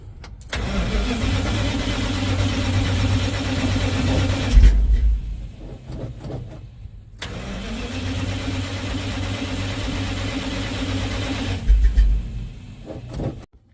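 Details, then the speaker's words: 1970 Dodge D100 pickup with Holley Street Dominator intake: two long ~5 s bursts of steady cranking with no firing; no spark while cranking, to be bypassed with a jumper wire to coil positive. "so I just discovered that I don't have spark while I'm cranking so uh that's a new problem that has now popped up"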